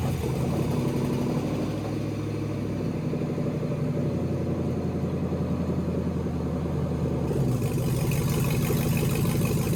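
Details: LS V8 swapped into a BMW E46, first start in chassis with newly built cooling system, warming up while coolant temp is monitored via OBD2 (reaching about 178 before fan switched on): steady even idle, smooth low rumble, revs lift slightly near end; healthy.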